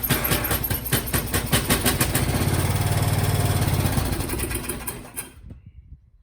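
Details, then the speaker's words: MTD Lawnflite lawn tractor, Briggs & Stratton 12hp single-cylinder, electric start: runs rough and uneven, then dies whenever throttle is opened despite fueling; owner suspects a blocked carburetor jet. "Well, that's clearly fueling. Why is that dying? Oh, it doesn't like full throttle. Okay. Or any throttle. I'm thinking that's probably a blocked up carb jet."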